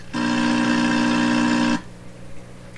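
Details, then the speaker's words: 1928 RCA Victor Model 28V radio under repair: the signal-generator tone, heard through the signal tracer, comes out as a short, buzzy, rough, distorted tone that cuts off, where it used to sound clear; cause not yet found. "Hey, hey, hey, what's it sound like that for? It used to sound nice and clear here."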